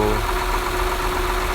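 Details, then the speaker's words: 2008 Honda Accord 3.5 V6 petrol at idle with a light, busy valve-train rattle over the low hum, worse on throttle; excessive valve clearance needing valve adjustment. "you hit a hundred hundred and twenty thousand miles you are what gasps the bowels does the writing sounds really bad maybe when you press when you press the throttle you press the gas pedal it sounds even worse"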